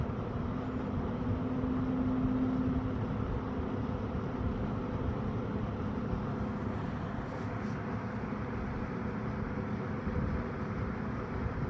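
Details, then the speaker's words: Eskimo box fan model 201083 after cleaning and reassembly, started on low and still speeding up: steady airy rush with a low hum and slight harmonic whine, quiet and smooth; normal fan run-up. "So I don't know why that is, but started on low. Really nice and quiet. Hear that harmonic whine. Grills, not bad. So it's still speeding up."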